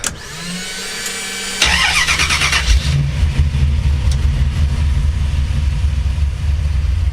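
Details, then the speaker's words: V8 Chevy S10 with new DIY 3-inch true dual exhaust, flux-core welded, TOTALFLOW 45264 mufflers: starter whirs briefly, then deep burble settling to a steady, even, throaty idle; quieter now, healthy. "Shit, let me go ahead and start her up. It's more quiet now."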